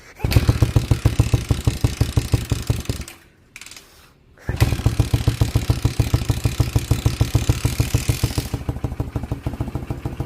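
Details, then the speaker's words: 1979 Honda CM185T (sticker says 200T Twinstar) that sat in a field about a decade, first start in ten years: uneven, lumpy single-cylinder idle with a stumble and near-stall, then a steadier beat after 20 seconds; rough idle. "Literally 20 seconds. 20 seconds of idling already. Sounds better."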